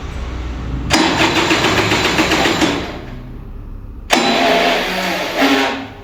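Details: Vintage Kinetic Honda 2-stroke scooter at an early-morning cold start: long bursts of fast, rough, struggling starter cranking with light throttle and a draining battery, weak ignition, and the engine never fires. Hard start, cranks but will not fire.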